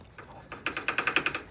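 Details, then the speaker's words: 1975 Norton during rear suspension work, motor cranking: rapid regular metallic ticking, about ten a second, from the chain running on a roughly 4-inch bolt protruding under the cover; shorter bolts planned. "This bolt is about 4 in long. It's going all the way in here. And I don't know if you can see it, but here [snorts] it is. It's under here. And the the chain is actually running on it."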